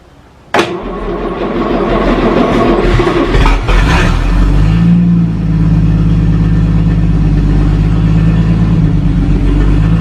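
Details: 1937 Talbot saloon 3.2-litre six-cylinder, first run since 1976, with a choke across the inlet: catches, a few uneven revs, then a steady low even idle; runs a little smoky, oil pressure about 40 at idle, 50 with revs.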